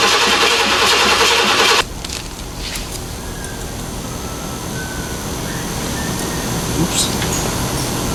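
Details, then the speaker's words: Square body Chevrolet C10 with new Blueprint Engines 350 and 700R4, new exhaust, first start: loud catch then steady even idle, no knocks or misses, oil pressure reading right away; normal start and idle. "I want to see a bit of fire because I'm anxious and I want to hear it make vroom vroom noises so that's what we're gonna do"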